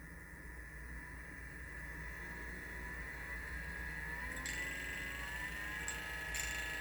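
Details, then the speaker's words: Lagom P64 grinder run at its slowest speed: steady motor whine near 2 kHz with faint, slightly uneven ticking and scratchy flares; a bean fragment is stuck in the burrs. "Oh, that's the sound of a little bean fragment stuck in there."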